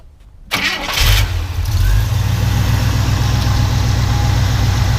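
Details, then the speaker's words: 1968 International Harvester Travelall on a cold start: the engine catches and settles into a fast cold idle with a light, loose clanking from the exhaust manifold heat riser flap, which opens up once warm. Heat riser valve rattle on cold start. "I did a cold start for you guys when you hear a little clanking and what it is is this little little dampener right here"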